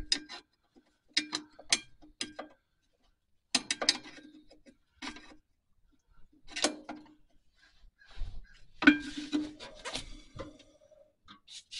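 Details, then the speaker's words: 1949 Chevy 3100 pickup Huck drum brake adjusted at 3000-mile maintenance: drum spun by hand about one full rotation gives short soft scraping rubs as shoe lightly contacts, nothing binding; properly adjusted. "it's about one full rotation and I can hear the break back in contact all right that's where I want him"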